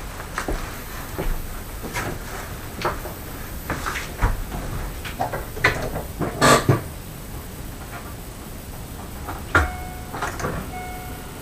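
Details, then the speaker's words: Chevrolet Aveo, 1.5 engine, cold start on a late-November morning: fast, sharp metallic hydraulic lifter ticking, loud for the first seconds, then quieter, disappearing as the engine warms up. "Ну вот, как видно, первые секунды происходит активный стук. Затем потише и затем по мере прогрева уже будет вот, буквально, видите, вы слышали, пропал этот зуб."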